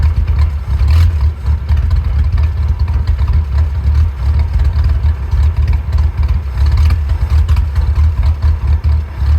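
Deep, lumpy idle whose beat swells and sags unevenly instead of staying steady; this engine is idling rough, cause not yet pinned down.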